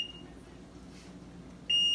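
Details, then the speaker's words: Maytag Neptune front-loading washer, powered on: a shrill high beep, a short blip, then a steady unbroken tone that won't stop, and the off button does nothing. The owner suspects a bad control panel causing an error alarm. "you can tell this panel is this panel is messed up it's just having some errors it's not supposed to be doing this beeping i'm pressing off but nothing happens"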